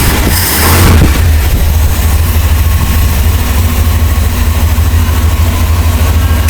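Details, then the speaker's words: 1963 Chrysler Newport with a 361 V8, very first fire-up after sitting an unknown time: a deep, steady, quiet idle, even and unwavering, with no hesitation, stumbling or stalling. The engine runs healthy. "It's not even hesitating. It's not even stalling. I'd have to say it ain't been that long. This thing ain't been sitting too awful long, but listen at it. I know, it sounds like it's got good freaking mufflers and everything. It's quiet."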